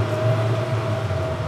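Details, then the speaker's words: Mercury Marine outboards on joystick piloting in Throttle Only mode, staying in neutral while the handles are moved forward, revving up with a steady even drone and faint tone, no knock: normal revving in neutral. "so when I move it forward you hear the beeps and you see the flashy neutral lights let me know that I'm still in neutral position and if I were to move the handles forward you'll hear the engines start to rev up"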